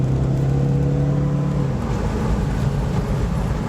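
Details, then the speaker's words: Saab at full throttle with turbo gauge near the red, after a temporary rig of a loose fuel line at the fuel rail: strong steady low drone with turbo sound, no knocking, rattle or hiss; healthy under full boost. "Car's running real nice. But then again, Saabs love this temperature. Hear that turbo going."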